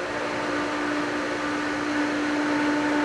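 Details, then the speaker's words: Pool pump switched on at spring opening with multi-port valve on filtration to fill the diatomaceous earth filter: even mid-pitched motor hum with rushing water and no rattles as the pump catches prime; normal. "We're going to turn it on and watch the gauge. Pump's going to catch on."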